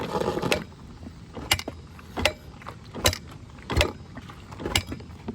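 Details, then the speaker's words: Honda CRF250R dirt bike: sharp metallic clunks about once a second only while kick-starting or bump-starting in gear, never while running; cause unknown, owner plans new clutch assembly and gaskets and asks if normal. "does it when you're kicking it or when you're trying to put it in gear or like oh did I put it in gear and I tried to like bomb start it I guess you could say that's the only time you hear it when it's running you don't hear it"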